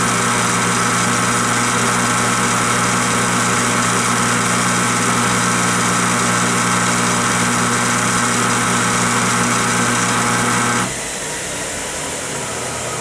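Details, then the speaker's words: Craftsman 113 table saw with a new 3 HP 220V motor replacing the stock 3/4–1 HP 120V motor: loud, steady, even hum at constant pitch, louder than the old motor, then it cuts off; runs fine on first start; normal. "to my delight the motor spun up just fine on first start it sounds like an absolute monster running it's quite a bit louder than the old motor"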